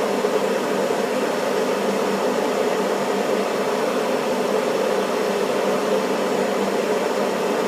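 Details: Furnace inducer fan running while waiting for ignition, after the flame sensor was cleaned with steel wool and refitted: a steady, even rush of air holding level throughout, with no rattle or squeal; normal inducer operation.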